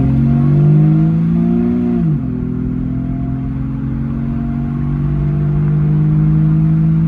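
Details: 2004 Jeep Grand Cherokee 4.0 inline-six with THOR cold air intake, after a new Flowmaster muffler and tailpipe replaced the rusted-off tailpipe: deep steady drone that dips briefly, then settles smooth and even with no knocks or misses; normal running.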